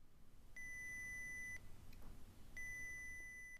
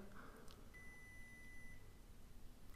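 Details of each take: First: Arduino water-detection alarm prototype: a clean beep of about 2,000 Hz lasting about one second, then a second of quiet, repeating; the alarm sounds as intended, though not very loud yet. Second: Arduino-coded water leak alarm prototype with the sensor dipped in water: a one-second high-pitched beep with a two-second delay between beeps and an LED lit; it stops when the sensor is pulled out.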